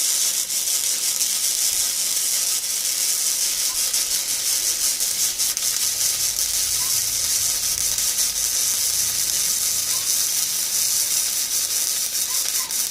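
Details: ESAB Fabricator 141i DC flux-core welder, first weld, compared with the Harbor Freight Flux 125 AC: steady, even, high crackling sizzle without pops or sputter; arc runs much smoother.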